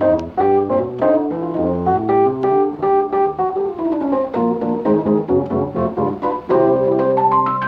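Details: 1973 Fender Rhodes electric piano after a repair expert replaced a broken tine and loosened sticking key felts; clean sustained chords and melody, every note speaking evenly, no dead keys or clunks; plays healthy.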